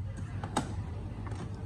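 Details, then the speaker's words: Canon TS6130 inkjet printer with missing colors during repeated print head cleaning: sharp, uneven clicking over low traffic rumble; suspected long-term clogged print head, unconfirmed. "thế cảm giác phải đầu phun nó lâu ngày nó bị tắc đấy nghe tiếng tạch tạch tạch tạch"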